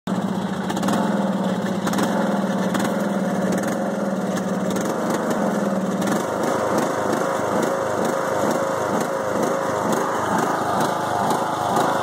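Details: 5-year-old Craftsman mower, Briggs & Stratton Intek 20HP V-twin, after a head gasket change following hydrolock: idles, then settles into an uneven, pulsing beat that hunts and stumbles; bogs while mowing; rough idle.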